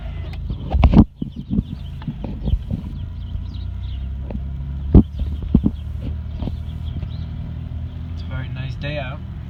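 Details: 2001 Monte Carlo making a right turn: sharp, irregular, very loud clicks over a low driving rumble; cause unknown.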